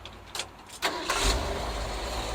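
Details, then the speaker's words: 1964 Ford F100, new Pertronix cast distributor, timing pulled slightly after starter kickback, hot engine at about 19 degrees initial (marks possibly inaccurate): brief starter whir, quick catch without kick, steady idle; healthy hot start. "right there nice hot healthy easy start we're at 19 degrees based off the marks that i got"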